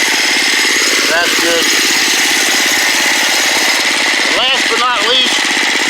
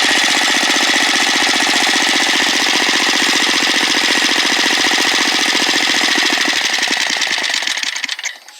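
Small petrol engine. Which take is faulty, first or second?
second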